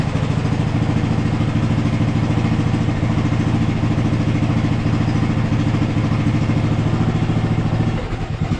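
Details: 2014 Ariens (Husqvarna) 42-inch riding mower, single-cylinder engine running after a third flywheel was fitted and fuel was added down the throat. A steady, even thump at about 3.5 beats a second with no knocks; smooth normal idle.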